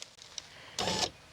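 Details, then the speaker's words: 1999–2007 Chevy Silverado GMT800 2500HD, after replacing an incorrect rear window regulator: a short, smooth, even electric whir of about a third of a second, with no grinding or clicks; window motor working normally. "Ooh, that sounds nice. Seems to be working just fine too."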